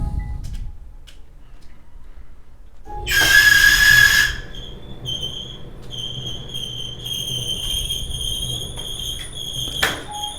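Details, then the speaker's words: Whirlpool Cabrio dryer running with a piercing high-pitched squeal over a low drum rumble, from a worn idler pulley (replaced with idler pulley and bracket W10837240). "hi and welcome to online Appliance Tech today we're working on a Whirlpool Cabrio jar that's making us squeal of noise so if your gyro sounds like this"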